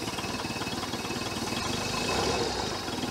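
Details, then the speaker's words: 1973 Larson boat, Mercruiser 120hp 2.5L, started from dead cold after over 50 hours sitting, choke shut: fast idle with a steady pulse, about four beats a second, no knocking or misses; cold engine warming on choke. "let's see what it takes to fire up yep that's it baby she's a runner that's from dead cold over 50 hours of sitting"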